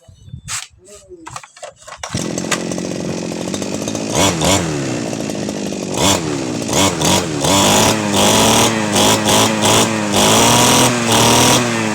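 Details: Two-stroke brush cutter model 411, stored about a year with a no-start complaint, after spark plug check, carburetor cleaning and refuelling: catches after a couple of pulls, idles steadily and revs cleanly on throttle blips. Normal running after repair.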